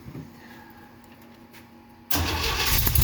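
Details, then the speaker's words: 1969 Jeep Willys CJ5, cold spring start after sitting about 7 months over winter with a recharged battery, choke pushed partly in: quiet hiss, then it catches instantly and settles into a steady, even, smooth idle. Normal start and idle. "Runs good. Idle smooth."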